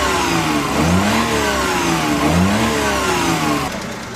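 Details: Suzuki F6A pickup after repair (distributor cap cleaned, tune-up, crank and transmission oil seals and tensioner bearing replaced), previously misfiring and stalling; small petrol engine revs up and down cleanly, pitch rising and falling smoothly, no misfire or stumble; normal revving.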